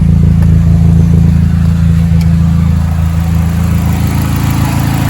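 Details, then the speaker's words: Chevy Cobalt/Pontiac G5 idling right after replacing the VVT solenoids: smooth, even low idle with steady beat, no surging or stumbling; before the repair it surged at idle and sounded like a misfire. "idle it well sounds so much better there's dvt solenoids that sure was a cheap fix so happy"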